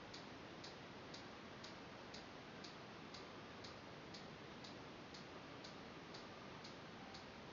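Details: CBR 2 ultrasonic motion sensor on a TI-Nspire (DataQuest app), measuring a book about 15–18 cm away as it is moved away and back toward the sensor. Quiet, steady clicking about twice a second over faint hiss: normal operation.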